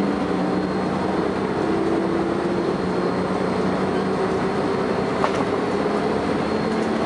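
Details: First Manchester Volvo B10BLE bus 60403 (S670SVU), recorded 30 May 2011: a thin, steady whine over running and road noise while moving; strange high-pitched whine, source unclear.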